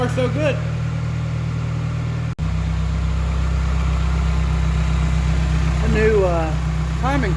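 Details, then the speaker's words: Geo Tracker after new camshaft seal, crankshaft seal, water pump and timing belt, refilled with antifreeze, not yet warm: steady low even idle with a brief dropout midway, no misses or knocks; running smoothly, no leaks. "cover looks really good on there everything's running in order have to let it warm up and get the thermostat to open so we can top it off with antifreeze"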